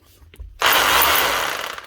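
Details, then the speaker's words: 20-year-old Makita HR2450 SDS hammer drill after burnt motor repair and cleaning: short burst of smooth, even, rapid hammering over a steady motor, no rattle or grinding; hammer working properly. "Still sounding smooth and still hammering like she should like a new machine."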